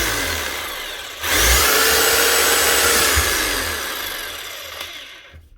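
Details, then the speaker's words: Bosch hammer retested after replacing a burnt-out armature: motor spins quickly up to a smooth even high whine and coasts down cleanly, no rattles or grinding; running right. "Still get the remnant smell of the burnt out armature, but that'll fade over time. You know now, it's actually running right."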